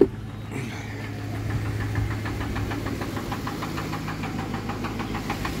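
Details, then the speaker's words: Ford 5.4L Triton, 11th-gen F-150, cold start overnight on 5W-30 synthetic, no fan or shroud, about 3.5 minutes in; quick steady metallic knock about four per second over idle; owner suspects rod knock, low oil pressure once warm. "but you can hear the knocking I don't know why but it's not as bad today but it just sounds bad there it is"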